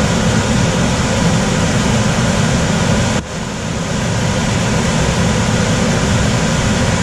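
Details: Coleman DGAX056BDTA manufactured-home furnace, constant-torque ECM blower with 24-volt taps set to high: loud steady rush of air with low roar, no knocking or rubbing; excessive blower noise from high speed tap, fix is lowering the speed.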